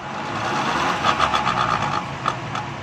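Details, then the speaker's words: Left-side CV joint on car with wheel lifted, run in second then third gear with throttle: quick irregular clicking about four a second; boot torn and joint cross worn inside, causing the noise; boot to be replaced. "दोस्तों, इस गाड़ी में ये प्रॉब्लम है कि इसके अंदर से, ये आपको मैं दिखा सकूं तो ये देखें, घोड़े का बूट फटा हुआ है, अंदर से इसका क्रॉस हो चुका है, जिसकी वजह से ये आवाज़ दे रहा था।"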